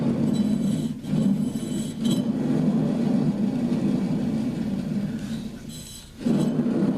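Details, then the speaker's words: Riding mower deck spindle, the better of two, still fully attached to a neglected deck, spun by hand: low gritty rumble with uneven chatter; bearings rough and worn, and the other spindle sounds the same. "Sounds pretty rough to me. And then this one over here on the other side was making the same noise. Spins good, but it just sounds rough and gritty."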